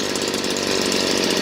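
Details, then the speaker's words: Stihl BG56C 27cc two-stroke leaf blower at wide-open throttle after the high-speed screw was turned back about a half-turn to cure a stutter at the top. Steady, even scream with no break-up; running clean. "So we'll turn it back down about a half a turn. Clean as you please."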